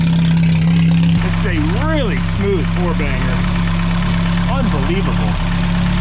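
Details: Long-abandoned Mercedes Ponton 190 four-cylinder, no coolant in system, idles steadily and evenly hitting all four cylinders with no misses, knocks or stumbles; normal idle.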